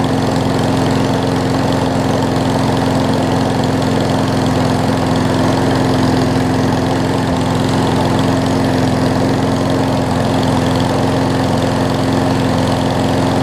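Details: Craftsman push mower, first fixed of a 35+ spring lot, after carb clean and oil change (old oil had water and mess in it): steady, even single-cylinder drone with no misses or surging; running a lot better, healthy.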